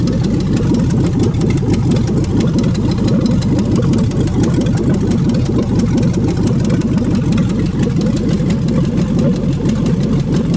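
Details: 5.3L LS V8 for a swap, first start on an engine stand after fuel pump priming: steady, even V8 idle with a smooth low rumble and no knocks or misses; normal idle.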